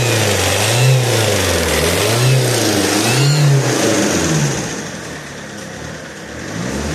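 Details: Alfa Romeo GT 1.9 JTD: a strange noise near the common-rail pump as revs swell and settle to idle. It appeared after a turbo replacement and grows louder each km. The exhaust manifold was checked for leaks and found fine. Source not pinned down.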